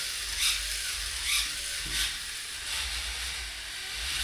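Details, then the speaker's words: Small robot gearbox motor: it buzzes high and fast, with sharp ratchety clicks about once a second when the wheel is held by finger under load at the extremes. The motor keeps spinning. Intermittent clicking under load; cause not confirmed. "Okay, for example, this happens at the extremes, right? And there's more load."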